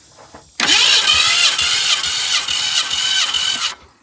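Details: 1965 Ford Fairlane barn find sitting since 2001, cranked during compression test; steady, even cranking whir for about three seconds with no stumbles; normal cranking.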